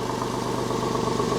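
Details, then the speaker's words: Porsche 996 after engine-out service with new lifters and flange seal, first start: loud even idle, steady deep burble, no knocks, misses or rattles; loud due to exhaust with muffler bypass pipe from catalytic converter. "sounds good remember this engine does have that Gunn hack exhaust system so that's why this exhaust is so loud it's got that pipe that connects from the catalytic converter to just the outlet so it has like a little bit of a muffler bypass man this thing sounds solid"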